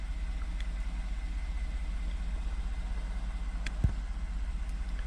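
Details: 2014 Ford F150 3.5 V6 EcoBoost, ~91k miles, after new plugs and coil packs fixing P0303 cylinder 3 misfire (bad coil pack): smooth steady low idle, even beat, no stumble or skip; normal idle, zero fault codes.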